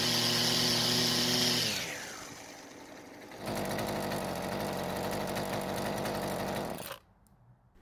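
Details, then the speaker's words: Husqvarna string trimmer at full throttle: screams high then sags and picks back up at lower uneven pitch, unable to hold constant speed; most likely cause suspected is faulty carburetor fuel-metering diaphragm. "so it does run and for most people it's more than good enough to use but as you also heard it seems to not be able to keep a constant engine speed when at Full Throttle"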